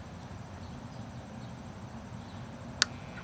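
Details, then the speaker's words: Sprinkler system zone 3 solenoid valve switched on electrically during a blow-out. Quiet background, then one sharp click as the solenoid pulls in and a very faint buzz after; the valve opens normally. "heard the click. If you listen carefully, there's a slight buzz. So that valve is now open, just like how we showed you when you turn it."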